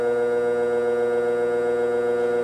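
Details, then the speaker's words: Furnace blower motor (motor and capacitor replaced in 2013) gives a steady electrical buzz and the fan never spins up. The shaft is rusty and wobbles, and lubrication probably won't help. It was found to be a failing motor, not the capacitor. "that motor just buzzed Buzz I don't think any lubrication is gonna do anything try that one more time"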